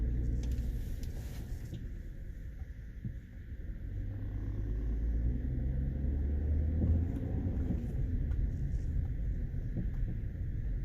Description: If you hear this popping sound as you drive over rough roads in your Lincoln MkT, you've got worn out sway bar linkage.